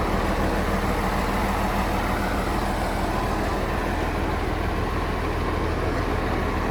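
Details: John Deere JD6081H diesel, 10,739 hours, in a 300D articulated dump truck being parted out for differential issues: the engine catches and settles into a steady, even low rumble with regular firing and no knocks, a healthy cold start.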